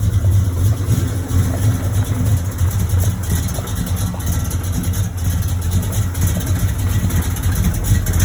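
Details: 1986 Chevrolet Monte Carlo SS, 355 small-block V8, day 2 of driving with a bottom-end knock: deep idle with an uneven low knock, roughly three beats a second. Oil pressure good but below normal. Rod knock.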